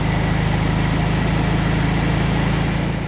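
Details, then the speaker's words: VW Beetle engine, barn find that sat over twenty years, first start after gas tank cleaning, on a temporary fuel supply with choke working; steady even fast-idle thrum with regular firing and no stumbles, running healthily. "Come on, baby. Get some fuel up into the bowl. Wow, what a huge difference. [Music] Wow, the choke works and everything."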